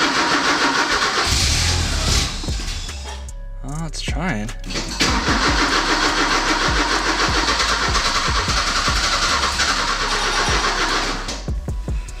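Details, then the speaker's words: Porsche 944 repeated cranking bursts with brief near-catches, never runs, after fuel pump, strainer and filter replacement; fuses fine, jump box used; ignition seems completely dead, owner plans rewiring ignition push-button. "I'm not really sure what to do next so the ignition is dead like completely dead"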